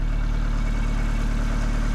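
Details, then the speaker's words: Roadster build on a 1936 Austin 12 frame with a 1800cc Isuzu petrol engine and 5-speed gearbox, run after exhaust and coolant plumbing: even, low, regular exhaust pulses at a steady idle with no misses or rattles. Normal idle. "How lovely that sounds, but look at the gauges."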